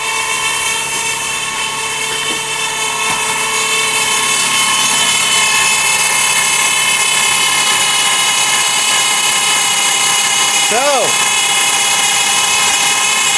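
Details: 2002 Dodge Stratus 4-cylinder, just started and idling: steady high dry whir over the engine without pitch change, possibly transmission whine; solenoid pack replaced the day before; hard start, breather off; cause unconfirmed.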